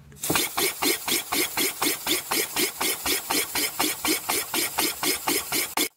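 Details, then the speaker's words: Engine being converted to steam, running on low compressed air after filing trailing edge of standard camshaft lobe: even exhaust puffs about four per second, steady and regular; sounds much better, running properly. "it sounds much better so let's apply some more air pressure"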